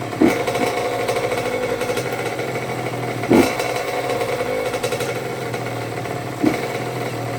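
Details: 2006 Honda CR85 after Wiseco rebuild (new crank, piston, seals, bearings, gaskets), break-in heat cycling: crisp two-stroke buzz at steady fast idle with a sharp blip every few seconds, clean and even; normal two-stroke revving.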